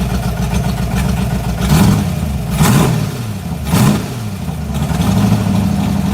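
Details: 1986 Mustang GT 5.0, stock '90 shortblock, B303 cam, speed-density stock EEC, ported E7 heads, 19lb injectors, long tubes: lumpy, unsteady idle with three short revs that stumble back down; rough idle, cam and speed-density not getting along.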